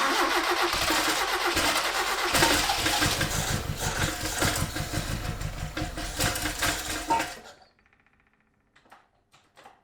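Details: 1976 RA23 Toyota Celica, rebuilt engine stored for years, first cold runs on its own fuel system: it fires, then runs with a lumpy, uneven beat, popping and stumbling before dying; misfire from plug leads in the wrong firing order, possibly running on 2 or 3 cylinders.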